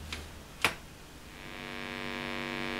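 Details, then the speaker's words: Blackstar HT5R valve amp (12AX7 preamp, 12BH7 power valve) after warm-up from standby: a couple of clicks, then a steady raspy 50 Hz mains buzz swells and stays, with little signal; points to failed HT smoothing capacitors. "right away I can hear pretty horrible buzz coming out of that. Don't like the sound of that at all"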